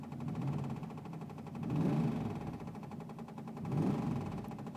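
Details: 1984 Chevrolet Camaro: faint, quick, even ticking over a quiet engine, swelling and fading every couple of seconds; intermittent, heard on start and while driving, whether the engine is hot or cold; cause unknown.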